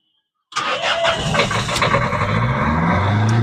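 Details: Ford Figo, 2013–14 model, with misfire, low pickup and hard starting, after clearing the cylinder 1 injector circuit open code: engine catches and runs rough with an uneven, stumbling beat, one cylinder dead from the open injector circuit.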